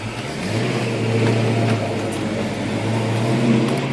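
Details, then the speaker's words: 1995 supercharged Mustang, stock-block 302 with Trick Flow heads and a Vortech V2 S-trim, on a 3.12 blower pulley instead of the factory 3.33: steady engine drone with a louder blower whine as revs hold, no knocking or rattling; normal supercharger whine. "you can really hear that blower whine now that I put a 3point um one two pulley on this instead of the 3.33 that came Factory um blower makes a lot more noise now than it used to which is fine"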